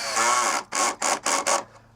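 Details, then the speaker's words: Halfords Torx screwdriver handle's torque-limiting clutch slipping while refitting a Chigee AIO 5 to a BMW S1000XR; four quick rasping bursts at its limit, normal, not overtightening. "that noise, that is literally, clip that fucker back in, that is literally the clutch on this. That is not me over talking it."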